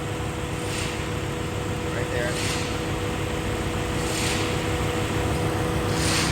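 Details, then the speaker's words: Vehicle A/C electric cooling fan running during an A/C leak test with the compressor on: a steady rushing sound with a thin constant whine. The fan motor bearing is starting to fail; the fan cycles on and off with engine heat. "All right, and that noise you heard, the bearing is starting to go out in this motor here."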